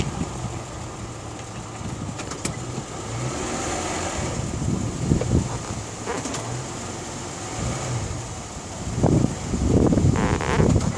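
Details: Isuzu Rodeo at idle: a faint constant high whine rides over the engine without changing pitch. Source undetermined.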